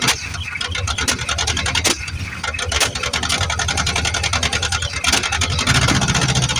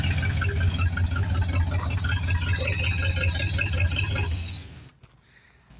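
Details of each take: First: 1973 Plymouth Fury III with 360 V8 just installed after car sat engine-less 7 years, fresh start after priming carb: coughs and sputters with popping bursts, ragged idle; owner suspects carb issues and plans to check timing. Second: 1973 Plymouth Fury III with swapped-in V8 after sitting engine-less 7 years, seems to like lots of timing, belt issue possibly from water or power steering pump alignment: steady, even rumble, no knocks or misses, running cleanly until shut off.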